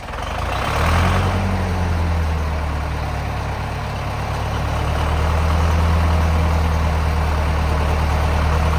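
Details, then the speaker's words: Zetor 5718 tractor parked five years, first start after freeing stuck excess fuel button: heavy, even diesel chug settling to a steady low drone at idle; running again. "Right. I'll put you lot back over here a minute and stop swinging around like a lunatic, and we'll see if my 5718 will crack off."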